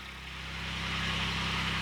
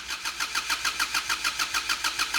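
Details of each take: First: Kubota D722 diesel swapped into Saturn SC1 coupe, first start on jack stands, warming toward thermostat opening: steady even diesel clatter with low constant hum firming slightly over two seconds, no misses; normal diesel idle. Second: Kubota D722 diesel swapped into Saturn SC1, first start after 10-second glow plug preheat, cold engine: even starter cranking with no firing; injection pump lost its prime, takes minutes for fuel to reach injectors.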